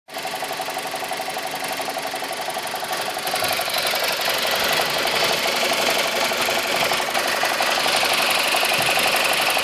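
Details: 2002 BMW 318i, N42 engine, 128,000 km, recently bought, idling too low: fast metallic rattle about four per second from the top end, growing slightly louder; cause unknown.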